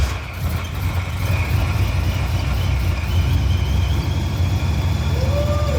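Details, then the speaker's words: Old Procharger with straight-cut gears, about 20-plus years old, at idle: steady low rumble with a constant high supercharger whistle, the sound wanted for the owner's Chevy Express 3500 van (fitted with a helical-cut kit instead). Normal supercharger whine at idle. "Listen to that glorious supercharger noise. That's what I want at idle with my van."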